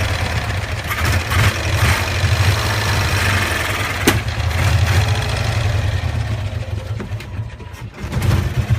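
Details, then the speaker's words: 1965 Cushman Truckster two-cylinder after sitting over a year, smelling of gas: uneven, lumpy surging low beat, won't accelerate, just chokes out; rough running, owner blames a stuck choke valve. "I'm trying to get that choke to let off that's the problem it's got like it's got a stuck choke valve on so it's not the floral that's the problem it's the choke"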